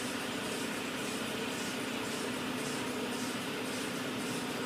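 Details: 2009 Grand C4 Picasso during a dealer test drive: a high, thin squeak pulsing about twice a second from the engine; seller claimed it was a temporary belt noise from sitting long, cause unconfirmed.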